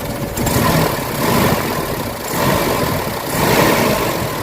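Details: Mitsubishi Adventure petrol engine, warm, before XADO engine treatment, throttle delay and low power complaint; idle rises and sags roughly every second and a half, uneven and shaky as if about to stall, rough idle.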